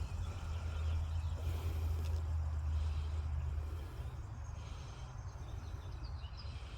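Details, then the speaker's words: 1993–02 F-body with stock electric fans fitted as pushers on a stand-up radiator, bracket not yet made, spinning clockwise; smooth even low hum, no ticking or rubbing: normal fan operation. "all right there's both of them on man I can feel the wind out here it's moving a lot more that feels way better"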